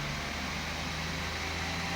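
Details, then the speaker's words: 2016 Audi Q7 3.0 TDI Euro 6 diesel held at 1500 rpm after a preemptive fix, smooth even hum; the horrible rattle previously heard at 1500 rpm is gone and the engine runs smoother. "at 1500 RPM there was a horrible Rattle and that's [Music] gone so the engine's running smoother already"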